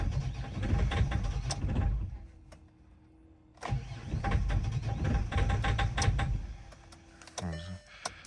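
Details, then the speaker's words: Great Wall Hover H5 4D20 diesel, 213,000 km: long cranking with pauses before stumbling into rough running, hard start owner complained of; clattering engine, injectors suspected though owner says recently repaired. "It starts very poorly, the owner also complained about this."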